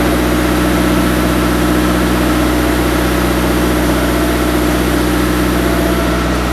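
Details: Turbocharged engine idling after a five-month winter build, before a clutch and shift test: steady, even idle with a smooth low rumble, no knocks or ticks; running healthy.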